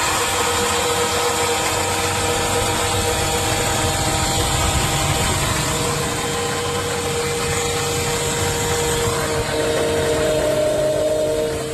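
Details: Chevy engine idling with a steady high whine riding over it, pitch stepping up briefly near the end; mechanic locating the whining noise's source.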